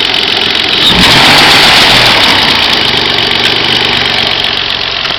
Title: x25xei strange noise